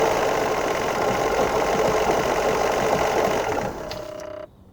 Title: 2011 F150 3.5L Ecoboost Vibrating/Knocking Noise